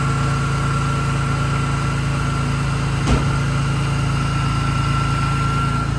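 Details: BMW E46 M3 S54 engine after Vanos rebuild, exhaust sprocket and oil pump disc: steady even idle, smooth low drone, one brief blip near the middle; running normally.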